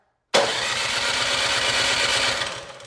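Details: Cub Cadet 2X26 snow blower (model 31AM5CVS756, engine 675-WUB) on electric start, choked, about 3/4 throttle, primed three times: steady cranking but no fire; the carburetor bowl is to be drained next.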